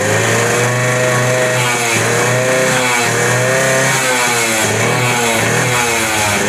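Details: Suzuki Max 100, 98.2cc air-cooled single-cylinder two-stroke, carburettor, after carburettor cleaning for missing and pickup problems: crisp buzz climbing and dropping cleanly through repeated throttle blips, no misses or stumbles; normal running.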